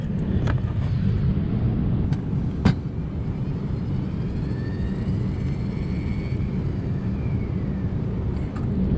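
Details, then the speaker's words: Dual-zone HVAC during a zone damper motor replacement, with the downstairs thermostat calling for cooling: a steady, low rush of air through the duct with no rattles or whistles, heard before the coupling is tightened; the damper is open and passing air normally. "So it is open now. So what I'm gonna do, since I can hear the air flowing through it, I'm gonna go ahead and tighten the coupling down."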